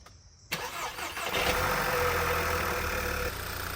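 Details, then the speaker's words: 2011 VW Eos 2.0 TSI cranks, catches and settles into an uneven, stumbling misfiring idle despite a new aftermarket PCV valve; rough idle with misfire later traced to a vacuum leak at the timing cover gasket. "In the last video, we put this one together, the aftermarket, original, and aftermarket. And this is what it's doing. I still have the misfire. You hear that?"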